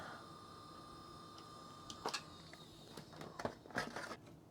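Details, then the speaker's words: Original Xbox optical drive, top cover refitted, disc inserted: faint clicks and short whirring bursts repeat as it retries then gives up; drive fails to lock focus on any disc though lasers appear to work, lens keeps retrying. "yeah I can definely hear it trying to read but I don't think this is going to work uh it's not happy I think it's given up yeah"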